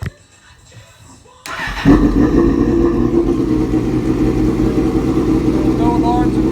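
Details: 2005 Suzuki GSX-R 750 parts bike, 21,128 miles: a pause, then it catches on the starter and settles into a steady, even idle with no knocks or rattles; normal idle.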